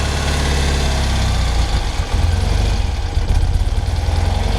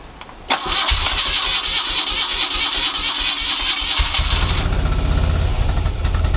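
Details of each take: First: 1975 BMW R75/6 airhead boxer, about 140,000 miles, Bing carburettors at basic settings, chokes fully open: deep, loping, uneven tick-over that sags near stalling. The throttle stop is set too low and is to be opened slightly so it idles unaided. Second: 1975 BMW R75/6 boxer, about 140,000 miles, off road over a year, full choke, neutral: starter churns briefly, catches into fast even idle; healthy first start in over a year.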